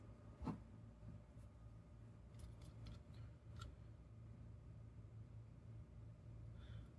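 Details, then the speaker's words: GPD Win Mini handheld's old cooling fan running with a rough, wavering low drone because its bearings broke; fan is being replaced. "I don't have this rubber bumper thingy but the uh bearings broke on it as you can"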